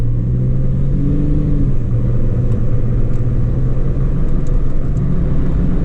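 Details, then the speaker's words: 2003 Chevy Trailblazer with chunky off-road tread cruising after an acetone throttle body cleaning for rough idle and stalling: steady low drone and hum with no knocking or grinding, ordinary tire road noise; engine and transmission feel good. "hear that noise tires we got some pretty big tread on that feels good engine feels good transmission feels good"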